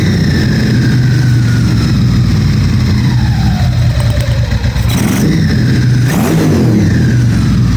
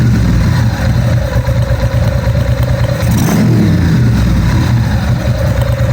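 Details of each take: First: 1997 Ducati 750SS V-twin with newly fitted Keihin FCR39 carbs, first start-up: throttle blips hang high before slowly falling back to idle. The owner reads the hang as a slightly lean mixture and will open the fuel screws half a turn. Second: 1997 Ducati 750SS with Keihin FCR39 carbs, just after synchronising both carbs to five: deep, even twin beat picks up cleanly on the throttle blip and settles back without hanging. Synchronisation fixed the earlier rev hang.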